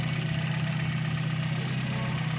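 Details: Toyota Vios that had a rough-running engine, after filter replacement and repair: steady, even low idle with no misses, knocks or hunting; engine now runs smoothly.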